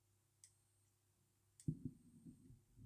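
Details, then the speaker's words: Olympus AFL camera with fixed lithium battery, film-door tab pulled so it thinks film is loaded: two faint short beeps and a light; has power but won't operate, suspected other internal electrical fault. "It's doing a little beeping sound, and there's a little light coming on."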